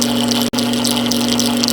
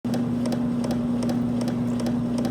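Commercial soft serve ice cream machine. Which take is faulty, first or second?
second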